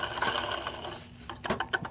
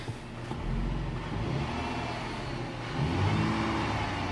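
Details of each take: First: 2008 Dodge Charger with a crank-no-start and a leaking water pump: turning the pump shaft by hand gives a gritty, sandy rasp. The bearings are nearly shot and the pump is being replaced. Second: 2008 Dodge Charger after water pump replacement, refilled with coolant and run for a while to normal temperature: engine idles smoothly and rises in a brief rev, with no knocks, ticks or squeals; normal idle and rev.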